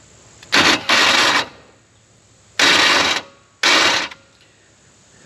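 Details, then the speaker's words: 1984 Chevrolet Monte Carlo SS small-block dirt race car, long abandoned: three harsh metallic grinding bursts on key turn, engine not cranking; starter not meshing with flywheel, starter shim issue suspected, shims added afterwards. "boy I might have to get a shim or something I don't want to yeah damage it any more than that think we got serter shim issues GM issues"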